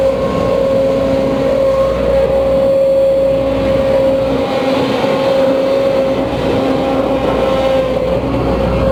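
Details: Case CX210B excavator working, noise starting around minute 5 and power sagging badly by minute 9: steady mid-pitched whine over the engine roar; main pump suspected of whining with loss of power, not confirmed.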